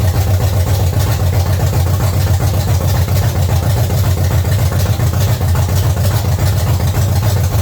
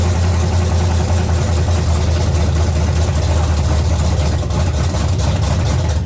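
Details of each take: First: 1970 Chevy C10, small block 305 V8, after intake and carburetor change: deep, even idle burble with no stumble, miss or tapping, running healthy; timing still to be checked. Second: 1970 Chevy C10 small-block V8, carburetor and intake manifold just replaced, first revived after being locked up: loud, lumpy, stumbling idle with misfire and heavy smoke. The distributor cap's center carbon button had broken out, and the cap was replaced.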